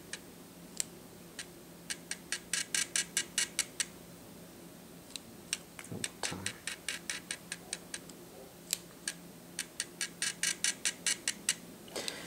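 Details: Atura speedlite (model unknown) zoom head, about 43 dB measured, in a noise comparison with Shanny SN600N and Nikon SB600/SB700: quiet crisp ticking in quick bursts of about a dozen clicks as the zoom head cycles; normal zoom motor ticking.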